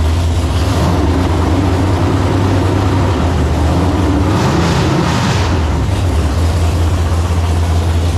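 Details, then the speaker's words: Freshly built 454 big-block Chevy, ported 781 heads, 10.2:1, Clay Smith hydraulic roller cam: deep, strong rumble swelling with throttle and settling back, even firing; carb needs tuning. "that sounds crisp definitely needs some carb tuning"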